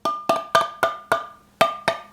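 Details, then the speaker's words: Spoon test on a Tattler reusable canning lid on a stored jar: eight sharp taps, each followed by a ringing, buzzy rattle as the lid vibrates loosely, showing the lid is not sealed. "And the way that I test these lids is that I just give it the spoon test. That is a test that tells me whether or not the lid is sealed. Now, to give you a comparison, this lid is not sealed."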